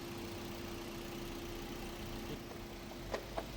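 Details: 2011 Toyota Corolla 1.3 manual idling warm at 78° after repairs, with AC running: low, even engine murmur with a faint steady tone and no misses or knocks; smooth, settled idle.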